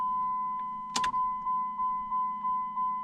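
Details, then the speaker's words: Dodge Neon SRT-4 before first start, key-on priming to check fuel rail and hose for leaks: steady low hum under pulsing chime, no cranking; normal fuel pump prime building rail pressure. "so you can hear the fuel pump engage and uh the pressure building oh yeah"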